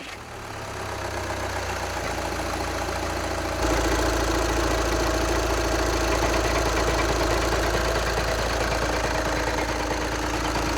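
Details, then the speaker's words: Idling engine with a steady fast rattle, about three or four clatters a second, that goes away when put in drive or reverse. Transmission failure was first feared, but the worn dual mass flywheel was the cause and was replaced. "Okay, so the way that I figured out how you diagnose your dual mess flywheel is if you hear that rattling noise and then you put it in drive or reverse, it will go away."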